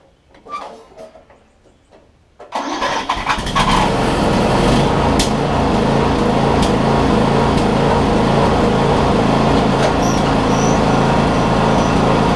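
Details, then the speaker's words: Newer Snapper RER rear-engine mower single-cylinder, after purging old fuel from carb bowl and fitting another spark plug: fires up and runs at an even beat, about four pulses a second, no longer stumbling; normal running. "l right joe it sounds like it's running better now"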